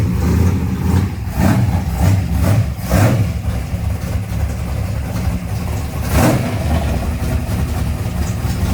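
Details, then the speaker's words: Race car, rough V8, that was hit hard and broke its rear end: uneven revving bursts over a coarse, gravelly rumble. Sounds like grinding rocks in neutral. Owner suspects broken transmission, unconfirmed. "It moves, but it it sounds like grinding rocks when it's in neutral. It's real bad."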